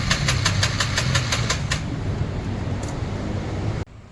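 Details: Honda Forza 350 scooter cranking but not starting: starter churns the engine in quick even pulses, never catches; cause found to be fuel pump failure, repaired rather than replacing the whole assembly.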